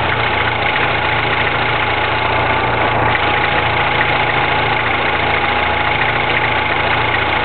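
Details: 2009 Mini Cooper S on a cold start: a busy metallic clatter over the engine hum at idle. Rattle at cold idle, possibly the timing chain, unconfirmed.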